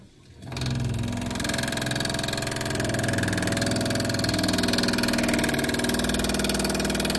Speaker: I've dealt with this once before and it's likely the washer in here has part of it has broken off and it's causing that water hammer as water flows into the to the supply hose here.